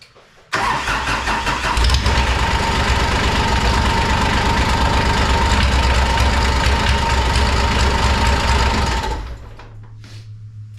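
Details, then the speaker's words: 2001 Kawasaki Mule 2510 diesel, brief run after head gasket replacement with muffler off: loud raw exhaust with fast rattling slap about three or four per second; unsupported mid-pipe banging around. "Muffler slaps around in there. Alright, let's try this again now with the muffler on so that mid pipe doesn't smack around everywhere."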